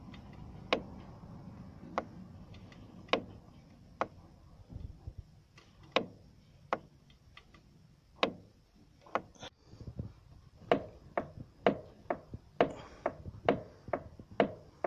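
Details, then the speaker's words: Renault Megane 2, wheel turned fully left: sharp, uneven single knocks about one a second near the strut top bearing area; owner says plastic is knocking. "при выворачивании колеса на лево полностью появляется стук в районе опорного подшипника в районе стойки амортизатора"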